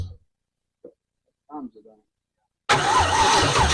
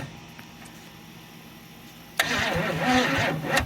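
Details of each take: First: 1968 Camaro, 327 V8 said rebuilt then sitting 15+ years, Powerglide; after silence the starter bites and the engine fires straight up, settling into a steady, even lumpy idle with no misses: it runs. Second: 1968 Camaro 327 V8 (bored 30 over, ~331) sitting 15+ years, timing near 12 degrees, borrowed battery; labored uneven cranking ~3 turns a second, no start; suspected drained battery or too much advance, jump planned.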